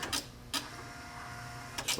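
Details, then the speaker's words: 1955 Chevy truck wiper motor: short whirring bursts with quiet gaps as it cuts in and out. The cause is a poor ground at the switch connection; grounding to the body keeps it running, and the connections are to be cleaned. "Turn it one click turns the motor on. The trouble is bad connection. But if you ground the body there, you can get the ground to stay. It works on one one click and then intermittent on the second click."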